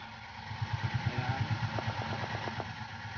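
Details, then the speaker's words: Isuzu 4HK1 diesel truck, check engine light on, DTC P0651 flash code 56; starter cranks in quick, even chugs about three per second and never catches; crank no start from ECM relay fault, fixed by replacing ECM relay. "Ayaw umandar Ayaw umandar dito tuloy nag huning lang siya isa pa Ayan umiilaw yyung check engine"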